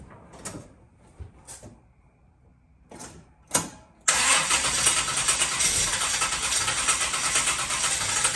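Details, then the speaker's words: Circa-1970 Pontiac GTO V8, started after swapping out the pushrods: light clicks, fires near four seconds, then an even, steady idle with no lifter ticking; far quieter than before. "is way quieter what' you say yeah that's that's money right there H that's night and day"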